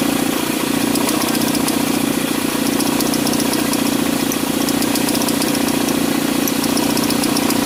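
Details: Mitsubishi ASX noise on acceleration: steady engine run with a fast, uneven buzzing flutter from the accessory belt vibrating; the worn alternator overrunning-clutch pulley no longer damps vibration, and the fix is replacing the pulley.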